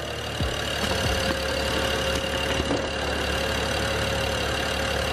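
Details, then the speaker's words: BMW 335i E90 N55 idling right after new spark plugs and ignition coils: quiet even idle, smooth steady hum, no knocks or misses; engine running normally. "so guys right now I have the engine running everything seems good"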